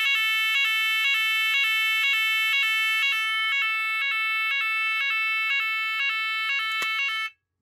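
Loud high pulsing siren repeating about twice a second, steady and even until it cuts off; the evacuation alarm sounds properly.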